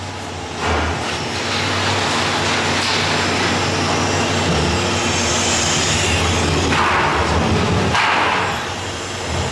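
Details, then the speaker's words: 2006 Chevrolet Impala 3.9L after cat-back exhaust replacement, listening at the new clamps underneath while running: smooth even exhaust drone with no puffing, ticking or hissing; no exhaust leaks. "no air leaks all right you guys that was a test"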